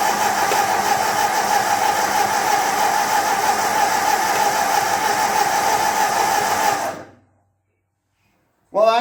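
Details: 1948 Ford 8N tractor at first startup after rebuild, in neutral with throttle, choke and ignition on, fed from a remote fuel can: steady starter churning at about three beats a second for seven seconds, never firing. It cranks but won't start, and spark is to be checked.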